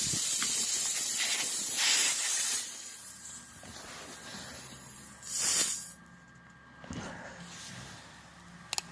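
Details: Tire punctured by a 4mm Allen-head object: a sharp, steady hiss of air escaping through the hole as the object is pulled out, fading after a couple of seconds.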